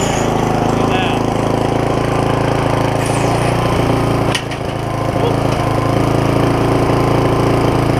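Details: Barn-find tiller, bought 17 years ago and never used, on its first run after its seized linkage was freed with lube; oil full. Single-cylinder putters at a fairly even idle with faint occasional unevenness; mild stumble, likely carburettor.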